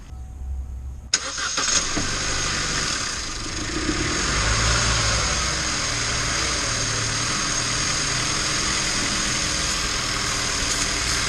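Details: 2011 Chevy Cruze cranks and catches, then runs lumpy and unsteady under a loud constant hiss; massive vacuum leak, fixed by replacing the leaking part and refitting coil pack.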